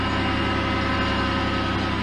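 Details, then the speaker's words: 2006 Chevy Impala on its first start after engine reassembly, with a check engine light on. Even, smooth low idle with a steady beat and no knocks or misses; the engine sounds healthy. "all right so we do got a check engine light on but we're running so so bad getting really good"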